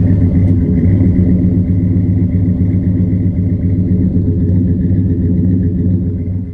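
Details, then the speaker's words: Auction V8 from a rear-end-damaged project truck that was apparently sorted mechanically, heard on an exhaust walk-around: a deep, even burble with a steady exhaust pulse and no knocks or ticks. It is a normal, healthy idle. "Just wanted to take a minute to really let that sound marinate. She sounds good, guys. She sounds really good."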